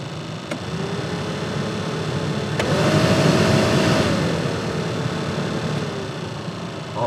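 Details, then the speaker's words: 2001 Dodge Ram 1500 blower motor after reassembly: steady fan hum stepping up in pitch, holding smoothly and easing down, all speeds working; fault was corroded resistor-to-motor connector, bypassed; normal blower motor operation. "Sounds like it's running to me. Oh, that sounds much better."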